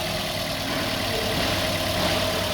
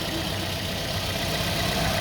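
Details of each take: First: Toyota Vios with a shaking engine, after the failed cylinder 3 ignition coil was replaced: even steady idle hum with no misses or shakes; all cylinders firing smoothly. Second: Toyota Vios with engine shake, coils on cylinders 2 and 4 already replaced; unplugging the cylinder 3 coil leaves the idle unchanged while unplugging cylinder 1 makes it shake clearly. Steady idle with an uneven, lumpy pulse points to a failed cylinder 3 ignition coil.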